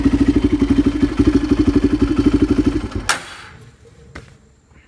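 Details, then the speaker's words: 2006 Polaris Predator ATV, which runs good and sounds pretty good; even, regular single-cylinder thumping for about three seconds, no knock or miss: normal idle. "so yeah it's a pretty decent four-wheeler guys thank does run good here"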